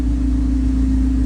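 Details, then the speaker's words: Honda EK chassis with header dump exhaust, throttle cable just adjusted to raise a low idle: loud, steady idle around 1000 rpm with deep even drone, no misses or knocks; runs well. "it's header dump so she's really loud but it runs pretty good"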